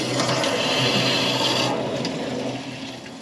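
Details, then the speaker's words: Domestic plumbing with no water, after fitting a new tap body with cylinder supply off: strong rushing hiss of water through the pipe that gradually eases; flow seemingly restored. "That sounds a bit better. Sounds like there's water going somewhere."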